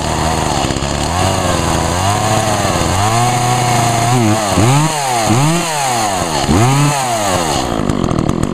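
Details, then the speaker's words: Echo chainsaw (2012 Echo CS 400), owned almost four years and heavily used, run on ethanol-free fuel; it starts readily after sitting, then revs cleanly, pitch rising and falling smoothly with each throttle blip, with no misses or rattles. Healthy normal running. "this thing starts up pretty good as always no matter how long it sits just as long as you use a heuel with no ethanol it'll always start right up"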